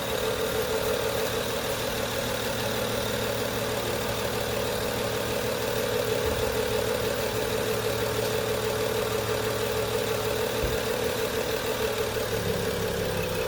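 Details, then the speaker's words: 2011 BMW 335i xDrive E90 with N55 six-cylinder, just after replacing engine belts and pulleys because of cold-weather squeak: steady, even idle hum, no chatter or rattle, belt drive quiet. Normal idle. "sounds good there's no rattle let's take a look oh good there's no rattling as you could hear"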